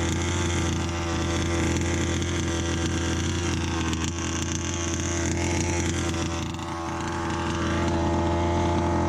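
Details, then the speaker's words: Customer Baja 5B RC car two-stroke, new pull start, field test at full revs: high steady buzz with raspy edge at top end. "But yeah, the engine's got a bit of a raspiness at the top end, but I think that's just because of general wear and tear."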